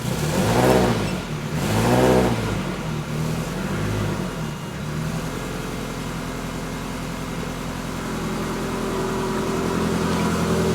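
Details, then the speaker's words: 1954 Ford F600 cab on Toyota Coaster bus chassis, started after fixing exhaust noise from trunnion arm bolt contacting exhaust, not mufflers; couple of loud surges then steady even idle, much quieter, no rattle or tick: normal idle. "Much quieter. Much quieter."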